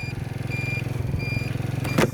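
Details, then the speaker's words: Kuba X Boss motorcycle riding, rider signals: high beep repeating about every 0.8 s over a pulsing engine, the turn signal buzzer, a sound the rider finds bothersome; normal turn signal buzzer. "sinyalimizi verelim bakın ses nasıl geliyor şu an ne bilmiyorum ama"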